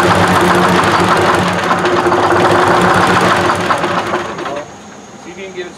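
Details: 1968 Kenworth W900A with a non-turbo 8V71 two-stroke Detroit diesel, first start attempt after a long sit: the starter cranks steadily at about four beats a second for several seconds, nothing catches, then it stops.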